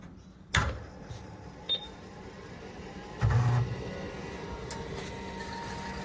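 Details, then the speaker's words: 1988 Juko ST (Super Turbo) PC XT clone with MiniScribe hard disk, first power-on after restoration; sharp switch click, then low steady hum as fan and hard disk spin up, powers on and runs normally. "Now to turn it on and see if it fires up."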